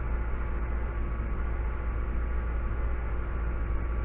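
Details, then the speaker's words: 2004–2011 Mazda 3 2.0L after timing chain and engine mount replacement, which cured a loud rattle: a low, even, steady hum at idle with no ticking or chain rattle; normal idle. "oh nice love it I don't hear any sound I don't hear any um uh rattling"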